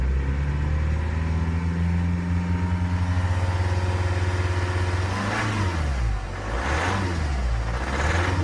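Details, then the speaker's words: 2011 BMW 320d E90 N47 diesel, 184 hp, 165,000 km, cold morning at +1°C, revved above 1500 rpm after brief warm-up: rapid uneven pulsing knock under the hood like a misfire, regardless of warm-up length. "Сейчас набираю обороты, вот, допустим, начинаю набирать больше 1500. И слышно под капотом"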